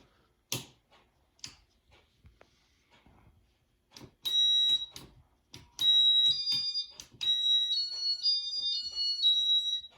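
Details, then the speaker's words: 1988 Casablanca Panama 5 Inteli-touch 50-inch ceiling fan (made April 19, 1988), running an incandescent bulb because Inteli-touch and LED bulbs don't get along: high, clean beeps in short patterned bursts with quiet gaps, a normal demo mode beep sequence. "And let's go ahead and fire it up and see if I can do demo mode."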